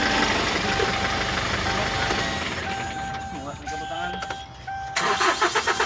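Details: Kia K2500 diesel that had white smoke at hard start, after repair; picks up and settles cleanly with steady blips, no stumbling or missing, no more misfire, smoke or lag.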